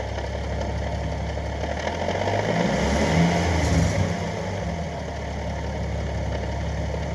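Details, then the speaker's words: 2014 Nissan 370Z, new CD009 6-speed, Z1 mid-weight flywheel, JWT clutch, heavy-duty CSC: loose knocking rattle at idle with clutch pedal out, gone with it pressed; worse when hot, sometimes diesel-like. Owner unsure if normal. "the hotter it is the worse the noise gets sometimes it sounds like a straight-up diesel"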